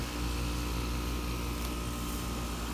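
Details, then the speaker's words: ICP system after X-13 blower motor replacement, outdoor condenser units running: steady even low hum, smooth fan rush, no knocks, rattles or squeals; normal running. "I'm quite sure the air handler is running pretty good systems you know as generic carriers go she's running so should be okay"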